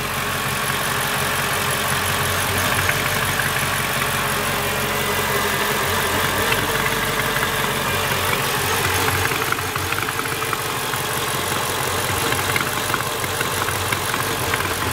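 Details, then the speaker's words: C55 AMG after manual transmission swap, first start: uneven idle with loose irregular ticking about three per second; unidentified noise, owner suspects it comes from the intake manifold area or a vacuum leak, not confirmed. "I have a feeling this intake manifold is going to have to come off cuz that's what it feels like it's coming from"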